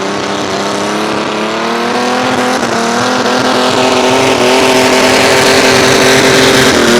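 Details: Mini rod pulling tractor, the Nasty Norwegian, on a blacktop pull after a new switch was fitted: loud engine pulling hard with pitch climbing under load, broken by uneven stumbles; a persistent misfire under load, cause not found after several attempted fixes.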